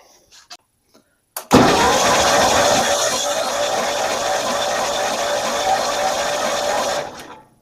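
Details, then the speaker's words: John Deere 318 with an Onan B43G engine, compression test done cold: the cranking sounds lopsided, with one weak beat in each pair over about five seconds; the left cylinder reads just under 60 psi and the right just over 90, so compression is low. "And we're actually a little bit under 60 right now, so still not good, even cold."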